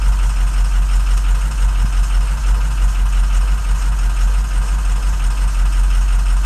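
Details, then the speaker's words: 2007 diesel truck, 119,000 miles, run cold to check injectors: heavy idle with uneven stumbling beat as firing pulses drop out; cylinders one and seven dead, not contributing, with codes also for three and five; misfire from faulty injectors. "cylinder one and seven were both just dragging not even contributing"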